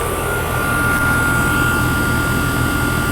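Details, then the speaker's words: Old Trane condensing unit reported not cooling, outdoor coil cleaned beforehand: steady compressor drone with even fan rush and faint constant tone; charge checked fine, unit running smoothly and healthy. "Oh yeah, we're good. Yeah, everything's looking good there. Yep. Charge is fine."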